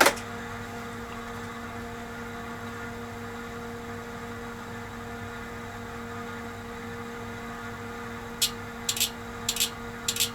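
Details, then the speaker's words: Tektronix TDS 420 oscilloscope rebuilt from a scrap box of parts, with a repaired switch-mode power supply, on first power-up: loud, steady, noisy cooling fan hum with relay clicks near the end as it boots into diagnostics. "okay here we go oh starts right up LEDs are glowing and I hear a really noisy fan oh listen to that fan"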